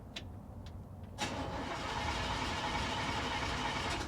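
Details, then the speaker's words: 1956 Cadillac after fitting a new battery, distributor power wire off to crank only; after a few clicks the starter spins fast, even and tight with no dragging or grinding; normal starter cranking. "See how fast and positive and tight."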